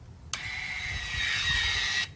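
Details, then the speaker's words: OX Off-Road electronic sway bar on a Polaris RZR, key on and switch flipped from locked: steady high electric motor whir of about 1.7 seconds, starting and stopping cleanly as it unlocks for full articulation; normal actuator operation. "you can hear that motor start actuating now you have as full articulation between one side and the other very simplistic design"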